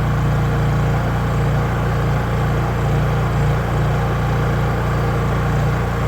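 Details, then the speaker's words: Honda EU3000is generator after carburetor replacement, fresh gasoline, run outdoors: steady, even low drone with smooth unchanging pitch, no knocks or misses, fastest crank-up seen; normal running. "That's the fastest I've seen it crank"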